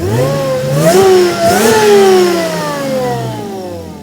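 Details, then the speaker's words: Stock-ECU car after fitting a supercharger, warm after test drive (had died once, then restarted): strong clean revs climb and fall smoothly, no misses or knocks; sounds healthy, ECU still self-learning. "makes all the right noises now."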